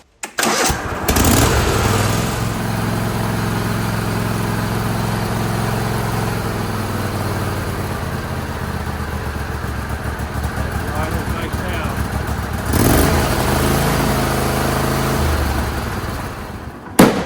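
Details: John Deere L130 lawn tractor with a Kohler Command 23 hp V-twin that had been hunting and surging. After the carburetor screw was turned out half a turn, it starts and settles into a steady, even run.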